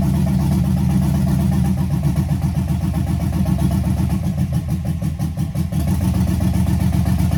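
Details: Chevrolet C10 with LS swap, open headers, first start after rewiring with makeshift relay: loud choppy V8 burble, even pulses at fast idle, no misses or knocks; heat gun confirms all cylinders firing, normal running.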